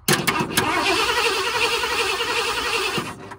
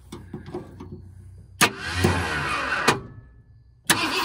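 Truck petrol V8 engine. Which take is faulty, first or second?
second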